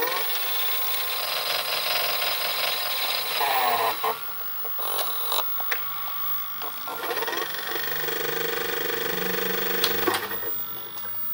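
Whirring and rattling from the tape transport, motor pitch shifting with clicks as it threads; the mechanism is noisy, cause not yet clear.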